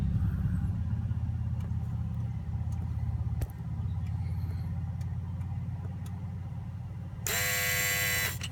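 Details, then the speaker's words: 2003 Volvo S60 2.5T AWD running: low engine drone, then a sharp metallic buzz kicks in near the end and holds, felt in a hose the owner suspects is a coolant line. Engine bay buzzing noise, cause unclear. "I felt this hose vibrate when it made that sound. I wonder if it's like a coolant. Seems like a coolant line."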